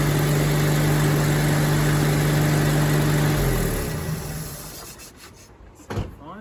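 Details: Rover P4 80 idling during a one-at-a-time ignition lead replacement, tested after a plug lead to check it is seated correctly; smooth, even firing beat with no missed pulses, then a clean shutdown, so all cylinders fire.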